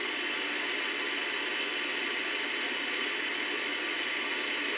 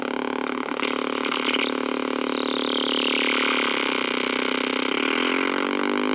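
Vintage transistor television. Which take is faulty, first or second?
second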